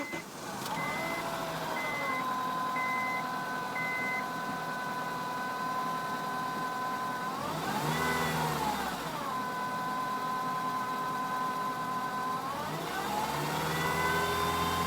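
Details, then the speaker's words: Acura RSX petrol engine at idle makes a steady, clear whine that climbs in pitch with each throttle blip; runs and drives well, cause unknown, owner's first guess is the power steering. "Just start it up. It makes a little winding noise. I don't know what it is. Maybe somebody can help."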